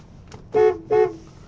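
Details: A 2001 Cadillac Eldorado ESC with 31,000 miles gives two short, clean, steady horn blasts with a strong even tone; the horn works normally.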